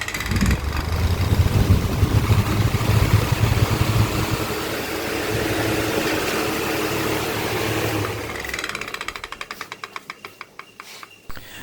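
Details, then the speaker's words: Table fan running: low motor hum with a sharp tak-tak about three times a second; the blade cap is completely loose, letting the blade knock as it spins. "Fan चलने के time जो टक टक करके sound आ रहा है पहले और लास्ट में आ रहा था, अभी ओपन करके आप देखिए ब्लेड कैप यहाँ पर पूरी तरह लूज है, तो आप लोग यहाँ देख सकते हैं यहाँ पर पूरी तरह लूज है।"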